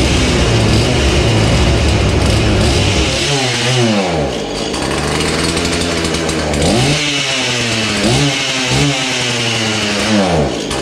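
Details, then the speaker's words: Husqvarna 235 X-Torq chainsaw, long unused and pulled from snow, primed and started on half choke: revs surge and sag unevenly instead of holding steady; owner suspects old fuel, weak fuel pickup or iffy spark plug, rough running. "i'm surprised it still fires up i'm thinking there's just a little bit of old fuel in there or maybe the spark plug is a little iffy"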